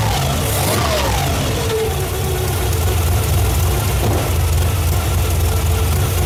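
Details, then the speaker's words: 1987 Pontiac Firebird with a freshly swapped cammed Chevy 350, bored .040 over, Lunati cam, Holley 650 carb, first start: warm, lumpy V8 idle with a steady whine from noisy timing gears; healthy. "I love the way those timing gears sound."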